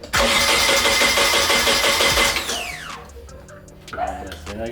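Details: Nissan 240SX S13 at its first start attempt, battery at 12 volts, spark plugs looking fine: starter chugs evenly at about three beats a second for two seconds but never fires; crank no start, fuel delivery suspected but unconfirmed.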